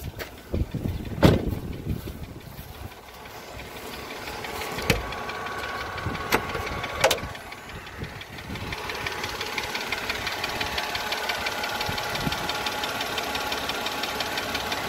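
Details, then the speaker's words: Mercedes W211 with the 112 engine, before switching to thicker 10W60 oil: it cranks and idles with a quick tsok-tsok tick from the cylinder heads on both sides. The tick began a month ago, faint, and has grown louder; cause unknown. "Сначала он был тихо, еле слышен, там где-то вдалеке, так цок-цок-цок-цок. Сейчас этот цок-цок усилился."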